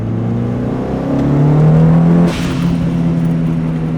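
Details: Mitsubishi Evo turbo engine, before blow-off valve delete: revs climb, then on throttle lift a short airy whoosh as the stock blow-off valve vents boost.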